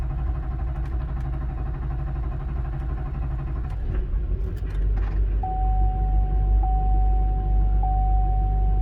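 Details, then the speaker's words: Duramax diesel after repair, first start, fuel low in tank with AirDog lift pump: deep even idle, earlier popping noise gone, no misses, no smoke from tailpipe; a tone chimes near the end; healthy. "it's running i'm just looking for leaks i already can tell that the popping noise is gone seems to be idling pretty smooth no smoke out the tail bite"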